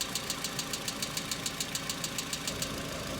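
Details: Hyundai Accent cold start at about -2 to -3°C: quick, even light ticking roughly 200 a minute over quiet idle, then dying away; hydraulic lifter knock that now recurs in repeated episodes, this being the second, unlike in summer.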